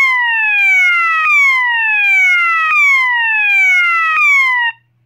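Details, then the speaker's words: System Sensor MASS121575ADA alarm horn, swept-frequency tone (clip A), like slow whoop in reverse; loud tone sweeps downward over about 1.5 seconds, jumps back up and repeats. Normal swept-frequency alarm tone. "the next tone is sweat frequency and this tone is basically the same as slow loop except it's in Reverse"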